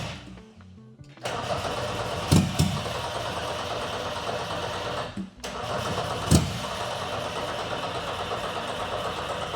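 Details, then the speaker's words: BMW E30 pro drift car with Volkswagen 07K 5-cylinder swap and BMW ZF transmission, first start without starting fluid: long steady starter churning with a couple of brief coughs that never catch; cranks but will not start. "It wants it bad. Come on, girl. Come on. [Applause] Come on. You can do it. [Applause] I think we just need to keep going. It's going to fire off eventually."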